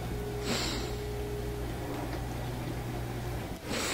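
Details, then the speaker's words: Frigidaire dishwasher after repair: circulation pump noise was caused by debris (glass, ceramic, metal, toothpicks, plastic) caught at the pump, cleaned out; now soft steady low hum with no rattling or grinding, quiet and back to normal. "the pump sounds good again nice and quiet back to normal"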